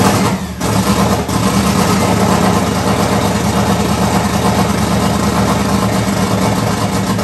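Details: 1994 Mustang 5.0 V8, triple turbo, Holley Terminator X, high ram, Anderson N41 cam, open downpipe; first startup: loud, low, lumpy, uneven idle. Runs rough, needs serious tuning; owner earlier suspected too much fuel and heard ticking.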